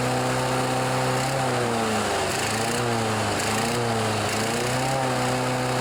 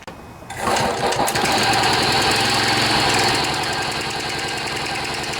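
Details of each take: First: John Deere 14PB self-propelled mower, Kawasaki 5.0 hp OHV engine, sat outside long. After carburetor cleaning and rebuild (slow and main jets were plugged), the engine surges up and down, then sags and dies. Engaging the blade clutch smoothed it out, showing the carburetor was working properly. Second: John Deere 14PB self-propelled mower, Kawasaki 5.0 hp OHV engine, after carburetor clean and rebuild (plugged slow and main jets) following outdoor storage: quiet, then catches and settles into steady, even buzzing run, no misses; normal running.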